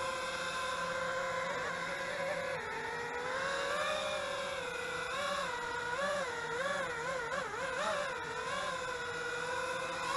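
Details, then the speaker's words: Eachine Wizard X220 quadcopter in flight: smooth, whining motor tones rise and fall with the throttle. On the bench near idle they spool up on their own, but airborne they sound healthy and normal. "you can hear it spooling up but once you get it in the air it's okay and it seems to seems to be fine"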